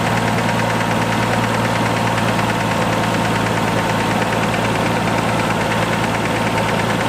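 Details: R33 Skyline turbo after new Splitfire coil packs and spark plugs, and repairing a shattered coil pack connector: steady even idle, constant low hum, no splutter or misfire; normal idle, owner notes slight ticking.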